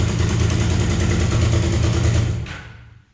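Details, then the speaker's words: Damaged Suzuki GS500 (bent forks, broken gauge cover): a deep, even, steady idle with no ticking or clatter until shutoff, smoother than the other GS500. A normal idle. "as you can see it starts right up this engine runs even smoother than that engine"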